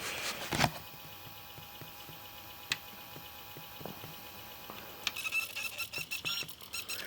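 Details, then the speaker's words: Pioneer PD-4100 CD player with a disc in play: faint high squeal and scratchy chirps with small ticks about every half second as the laser sled moves back and forth searching but cannot read the disc. "Now you hear the squealing? That's the laser moving back and forth, looking for the information."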